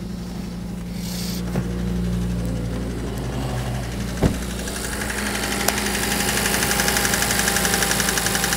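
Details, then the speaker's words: Cheap salvage-auction Audi RS Q3, first start, battery warning light, odd startup noise: steady idle with light quick tick, sharper at end, worse on revving; top-end tapping, cause not yet pinned down. "well it runs I mean it's got a horrible tappy noise though"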